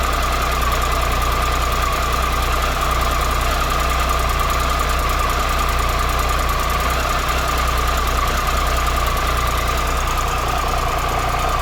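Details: 2013 Triumph Tiger Explorer at 34,000 km, idling after replacing the cam chain, hydraulic tensioner and exhaust header gaskets: even idle with a light steady valve tick, no rattle or knock. The engine sounds normal and less noisy.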